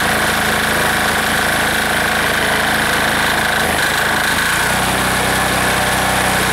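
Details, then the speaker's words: Air-cooled diesel engine just reassembled and restarted after earlier fuel starvation, throttled down to idle, briefly dips then settles into a steady, even beat; owner says it sounds pretty good, a normal idle. "she'll idle down a little bit for us here sounds pretty good right there"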